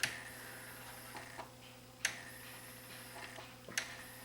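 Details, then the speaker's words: Sony CDP-CE305 five-disc tray/turntable CD changer, disc exchange button pressed: quiet light clicks about every 1.5 seconds over faint motor hum as carousel steps through disc positions; normal. "it allows me to load five discs and then those just are rotated in place and played in the optical reader scanner"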